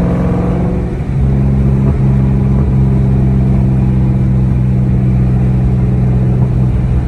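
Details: 2003-04 SVT Cobra with T56 and aftermarket 26-spline input shaft: steady low engine drone while driving with no gear whine or grinding. Shifting is unaffected by the input-shaft noise, which is suspected to come from shaft quality.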